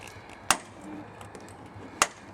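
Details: 1997 Chrysler Sebring driver-side door: two sharp loud clacks, one on opening and one on closing, from a worn door check strap that needs replacing.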